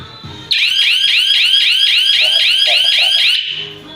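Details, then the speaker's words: Hi-Q security alarm system armed, motion sensor off, triggered by opening door; very loud rising whoop repeating about four times a second for three seconds, then cutting off: alarm siren sounding as intended. "Вот так она громко орет. Очень громко."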